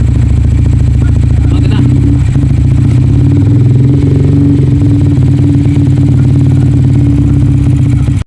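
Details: Sniper 155 motorcycle with a stalling fault, after filter, fuel, TPS and spark plug were changed: the engine drones steadily, then abruptly dies; stalling traced to a faulty fuel injector, confirmed by swapping the injector.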